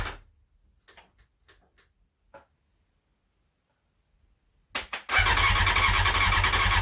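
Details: CBR600F first start after revival, starter bridged and ignition hotwired, half choke, fuel from dummy tank: a few faint clicks, then a loud ragged burst as the engine catches and runs unevenly, won't settle; short-lived run.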